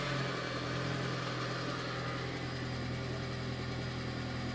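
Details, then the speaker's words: 2004 VW Jetta, BBW engine, just after fuel pump and filter replacement, with the tank access cap unsealed: quiet steady idle with a faint even electric pump hum underneath. Normal idle. "go think I heard it there oh yeah and it started so guys that was it you can kind of hear it buzzing down in there it's not very loud at all"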